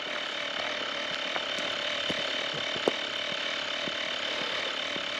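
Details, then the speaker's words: Tyre inflator compressor filling a camper van tyre, heard from a few metres away: steady buzzing hum with fine rapid chatter, even and unchanging; normal running. "je pense que vous vous rendez compte quand même du bruit que ça fait ah c'est pas non plus spectaculaire mais c'est pour vous montrer quand même que c'est pas un petit compresseur à de balles"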